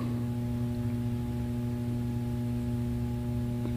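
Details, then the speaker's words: 44-inch Hunter Stratford II ceiling fan, circa 2008, on low speed: steady low 60-cycle electrical hum with a faint buzz. Owner says the capacitor needs replacing. "I know you can hear it buzz and Hunter has been being quiet but this one is an exception probably cause it's like the post-2000 hunter and obviously the capacitor needs replaced so I shall do that when I get time"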